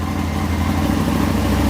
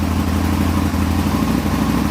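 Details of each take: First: Aprilia motorcycle idling: idle speed rises and gets slightly louder as handlebars turn lock to lock, showing the throttle cable was adjusted too tight; backed off until idle no longer changes. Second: Aprilia motorcycle idling cleanly after start during throttle cable tension adjustment. A steady, even low beat with no misses or surging; normal idle.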